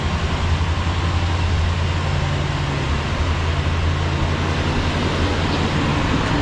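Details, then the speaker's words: 1966 Ford Galaxie 500, 352 4V carbureted V8, cold start at 47°F after three months sitting, warming in neutral: even deep rumble with smooth steady beat, no misses or ticks; healthy idle. "It sounds good. For being sitting for all those months, it sounds really good."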